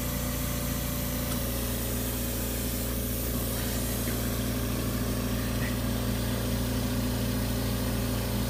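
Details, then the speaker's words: AMC 20 compressor running after its cutout pressure switch was adjusted and cycled 15 times: a steady, even hum with no popping sound, indicating the pressure switch is truly working. "this is telling you that the pressure said is it's truly working that you will no longer hear that popping sound"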